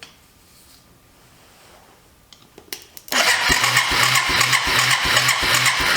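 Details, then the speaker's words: Abandoned Yamaha 250cc Bear Tracker ATV: starter churns steadily about two and a half strokes a second without firing; very weak spark, suspected key switch or ground, spark plug being swapped. "got a spark but it's real weak let me try another spark plug"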